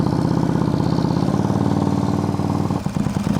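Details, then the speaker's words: Auction motorcycle after a vacuum leak was found and new spark plugs fitted; it now idles steadily with an even low putter and no spitting or sputtering. "now it's idling right not spitting and sputtering"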